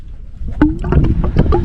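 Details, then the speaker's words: Caravan water tank being filled via a Seaflo pump from a 110 L water bladder. Irregular gurgles and glugs are air escaping freely out the top vent, which is normal; owner notes a blocked vent would pressurise the tank. "so obviously water's going in this way and you can hear it gurgling so that's just the"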